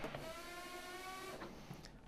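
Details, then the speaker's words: Treadmill running belt stomp test with machine running, belt held with foot: steady whirring drive with thin squeal as the front roller keeps slipping, indicating belt too loose; fix is increasing tension by moving the roller back. "you can hear when it stalls you can hear the front roller is still slipping which indicates that the belt is too loose"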